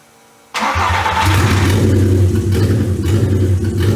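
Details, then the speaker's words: 1985 Porsche 944 with a swapped VW/Audi 07K 2.5L inline-5, just after rewiring in firing order A-B-C-D-E, with the alternator producing no output: it fires up, then the idle rises and sags, surging and losing RPM sync for unknown reasons. "Well, it's running, but it's surging and it's losing RPM sync. I don't know why."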